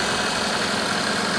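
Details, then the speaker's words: 2012 Chevy Captiva 2.4L Ecotec at idle with AC running, after removing aftermarket VVT solenoids and reinstalling the cleaned original GM intake and exhaust solenoids; steady, even idle with no ticks or knocks, definitely quieter; normal idle. "And like everything else, it's not a perfect engine, but you can hear, definitely quieted"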